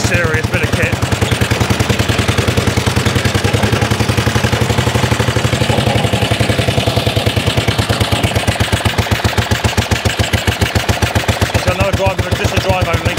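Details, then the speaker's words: 1930s Dennis Z-type 30in mower with no exhaust, drive and cutting cylinder engaged, revs rising under load: loud rapid open-exhaust crackle with sharp bangs mixed in; backfiring, cause not pinned down. "bit of a back part going on i love this this is proper"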